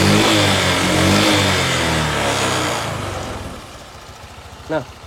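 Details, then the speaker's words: Honda Vario 125/150 scooter after valve rocker repair and adjustment for rough, noisy engine: steady, even note settling quieter with no rough rattle; engine now smooth, only CVT noises remain. "oke Guys jadi untuk suara mesin itu udah adem udah halus ya"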